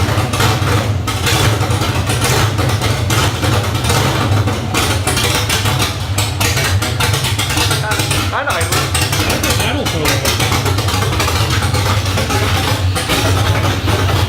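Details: LS1 V8 swapped into a 240SX, first start, untuned computer, open headers, new fuel filter: loud deep steady rumble with raw open-exhaust crackle, even run with no misses; healthy.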